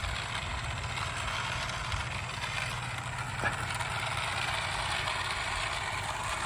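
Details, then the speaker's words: Garden railway train after a track short was fixed: even rolling rumble with steady wheel clatter and no stalls or stutters as it completes the circuit cleanly; normal running. "here we go complete circuit makes me feel good Eureka I've done it and I didn't have to wait two weeks for the silicone to come in"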